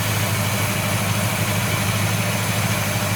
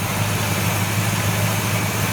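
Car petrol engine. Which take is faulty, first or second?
first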